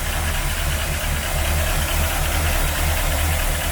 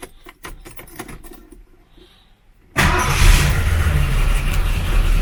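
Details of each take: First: 1977 Cougar, starting right away after a no-spark, crank-no-start fix: steady engine with a loose, uneven beat about once a second; it idles rough, cause unconfirmed. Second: 1977 Mercury Cougar that cranked but wouldn't start (no 12 V at coil, fixed by jiggling key cylinder), heard from inside car: quiet clicks, then catches at once and settles to a steady idle; starts right away, normal start.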